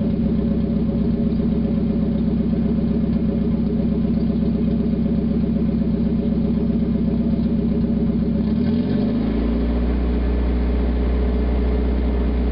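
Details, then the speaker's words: 1991 Mazda Miata MX-5, parked about 5 months, running with catalytic converter removed: loud, raspy, throbbing exhaust at fast idle dropping as revs settle; revs quicker and runs smoother without the back pressure. "Well, I was right. Sounds like crap. Definitely revs up a whole lot quicker though. I mean, the whole engine seems to be running smoother. But you remove all that back pressure from that catalytic converter and it's bound to help a little bit."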